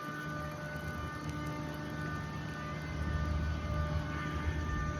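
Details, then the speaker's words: Wissahickon Middle School HVAC AC chillers heard from sidewalk behind new acoustic sound-insulation fence: constant low drone with steady hum tones and faint high whine, carrying past the fence; chiller droning noise persists. "Anyway, so the noise continues, and their ineffective attempt to muffle the sound is that."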